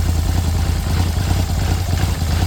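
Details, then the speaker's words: Polaris Sportsman 850 ATV that had a heavy knock initially blamed on a rod, now idling with the flywheel removed: steady, even, low-pitched idle with no knock. The flywheel was the cause. "Well, that sounds quiet now. Well, how about that? We don't have a rod problem."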